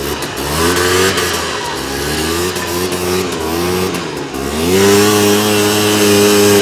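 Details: 2001 Polaris Xplorer 250 4x4 two-stroke quad in high range, straight gas with working oil injection, after earlier bogging: revs climb cleanly, hold steady high note under throttle, no bogging; healthy full power.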